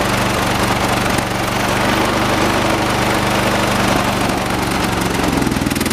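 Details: 1986 John Deere 216 16 hp single-cylinder tractor outside while carburetor mixture screw is turned: loud, lumpy chug with irregular beat and wandering pitch, hunting for smooth running; uneven running during carburetor adjustment.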